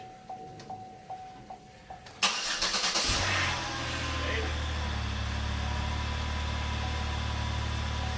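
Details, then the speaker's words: 2009 Chevrolet Impala 3.5 V6 (9th gen), a junked salvage-auction car, on first start after work and a battery check: chime dings, brief crank, instant catch, then a smooth, even idle; runs good. "Yeah, she runs good too."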